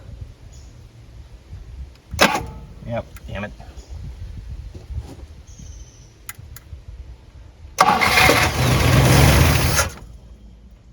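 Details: Abandoned 1958 Super, first start: it cranks, then catches and runs up to a steady idle; it now has fuel, oil pressure is good, it's charging a little, and temperature is rising quickly.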